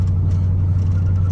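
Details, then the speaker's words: 2001 Dodge Ram 1500 2WD on test drive after wheel hub assembly replacement: steady low in-cab rumble, no more hub growl or vibration from the passenger side; a separate noise comes from inside the dash. "look at that. You could hear it really bad from the passenger side, and you can't hear nothing anymore. So look, let me catch some speed. See, you can't hear the vibration or nothing no more."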